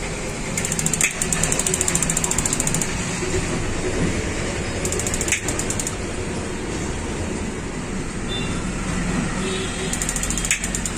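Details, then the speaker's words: 6-litre gas geyser that would not start, with the switch shorted by screwdriver: bursts of crisp spark ticks and a firm click as the gas valve coil operates. The circuit and 3V supply work properly, so the sensor is faulty. "जब इसकी हमार lighter की चर चर की आवाज आती है तो बीच में टक की आवाज आती है"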